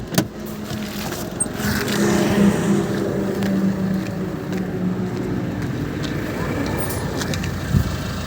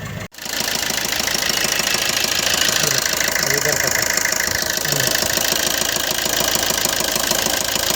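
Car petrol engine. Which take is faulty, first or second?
second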